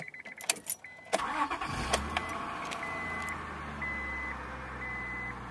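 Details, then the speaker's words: 2000 Honda Accord 3.0 VTEC V6 first start after alternator replacement: starter cranks briefly, then the engine catches at once and settles into a smooth, even idle with a chime in the background. Normal start. "Hook our battery up, start the car. Cross our fingers and hope it starts."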